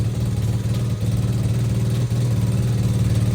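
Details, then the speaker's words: Apollo RFZ pit bike after service, idle still to be lowered and carb to be tuned: fast, even exhaust beat with a raspy puffing chuff each pulse; engine runs clean, stock exhaust silencer leaking badly. "En fait on a une fuite à la cartouche, mais ça c'est la ligne d'origine de la moto, hein. C'est une vraie merde."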